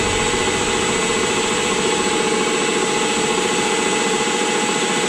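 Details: Rockwell horizontal mill running at constant speed in a cold garage at about 24 degrees. The head gives a loud steady hiss with several fixed high whining tones. Owner suspects the tapered roller bearings have taken a set and may clean up; not confirmed.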